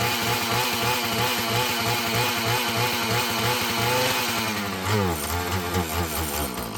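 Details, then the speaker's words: Filthy, poorly running Husqvarna 445 chainsaw, primed with six pumps and drop-started: raspy two-stroke buzz sags and stumbles instead of climbing when throttled. Bogs on throttle; mechanic suspects it needs carburetor adjusting and cleaning and hopes the old diaphragm softens up. "I don't know about you guys, but to me, it seems like maybe just a little carburetor adjusting and some cleaning. This will be a easy fix, huh?"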